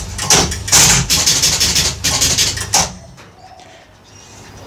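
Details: Gottlieb Spin A Card pinball machine, re-rubbered and reassembled, started with a reset: fast run of sharp relay and stepper clacks for about three seconds, then quiet hum; clean, healthy reset sequence.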